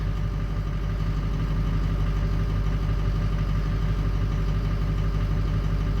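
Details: 2004 6.0L Powerstroke diesel after work on the odd bank (1, 3, 5, 7), after another five minutes running, not yet driven. Steady, even idle with a smooth low rumble and no knock or miss.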